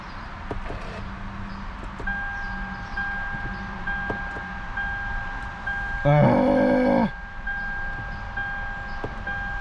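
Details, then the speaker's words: 2006 Lexus IS 250 that sat nearly a year, new battery fitted: steady electronic tone then a loud chime, brake-pedal prompt, car won't start; cause unresolved. "Alright, you guys, so unfortunately I wasn't able to get the car started. I do have a couple more ideas, but I have to bring someone else that can help me out with it."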